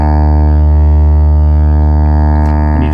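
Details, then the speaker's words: Wurlitzer Magnavox jukebox loudspeaker before reconing, cone recessed in basket and torn: steady pulsing test note comes through buzzy, coarse and distorted because the cone is binding and resisting movement. "touch it it's not good that's where the code should be it's resisting"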